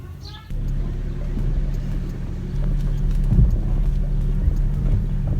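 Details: 2013 Chevrolet Aveo on a test drive with brakes and curves, rear double wheel bearings previously noisy: even low road rumble with no growl, squeal or rub; rear bearings sound healthy.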